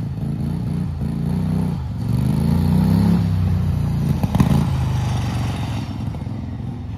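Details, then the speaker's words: Turbocharged Wheel Horse mower engine held at full throttle, boost near zero psi: surges and stumbles, briefly dropping out mid-pull then recovering at top revs; owner suspects high-rpm fuel starvation, plans fueling and timing rework. "uh you hear it kind of cuts out so it's fuel I'm sure there's fuels starvation issues and stuff at high RPM"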